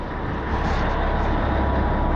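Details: 637 machine, long unused, rear diesel engine: heavy drone builds steadily with no throttle input as air pressure builds; rear engine revving up uncontrolled, with throttle valve (Bendix) work underway.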